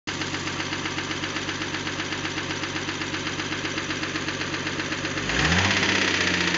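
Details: 1976 Datsun 280Z with L28ET petrol engine: steady knock about four a second over idle, then brief rev rise; cause unknown, valve clearances checked, compression good.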